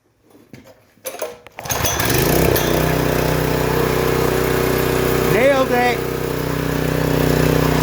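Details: Homelite Pro 3100 PSI pressure washer that would not start, suspected bad gas; after draining the gas and lubing the linkage, on first choke detent, it fires on the first pull and runs steadily with no misses.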